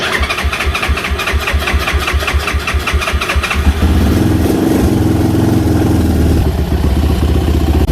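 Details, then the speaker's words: Single-cylinder motorcycle's first spring start after winter, with new battery and fresh 10W-40 oil: quick crank, catches at once, steady even idle without misses or knocks; healthy. "good still sounds good still sounds good"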